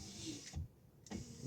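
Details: VW Polo after repairing the door wiring for the electric windows, tested on a temporary switch: the right window motor gives short bursts of smooth, even whir (it runs heavier) with clean starts and stops and no grinding; the window works normally.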